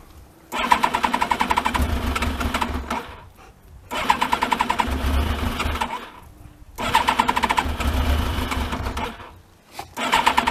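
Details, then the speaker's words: Thunderace motorcycle, not started for ages and no coolant in it, being checked for a water leak: three long cranking bursts of about three seconds each, never catching; it normally starts straight away. "I don't think it'll start because it hasn't been started for ages. We'll try anyway."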